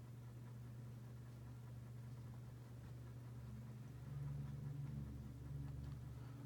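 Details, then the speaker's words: Dynasty 52-inch hugger ceiling fan, model CF-HA52, from January 1988, on low speed. Steady low, even hum with no ticking or rubbing; moves a decent amount of air. Normal running. "definitely a decent perform on a low speed moves a decent amount of air"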